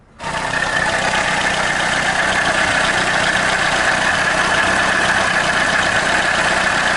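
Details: VAZ 2110–2112/Priora engine idling with a steady high-pitched hum from the water pump bearing; bearings repeatedly humming after earlier alternator and tensioner bearing replacements.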